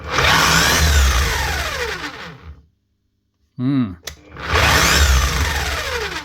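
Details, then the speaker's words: DeWalt D25810 chipping hammer before repair, running rough; two short runs winding up fast then spinning down with falling whine and coarse rough edge, sounds like running very fast; bad bearings, later replaced. "That sounds a bit rough. [Music] And she sounds like it's rolling very fast as well."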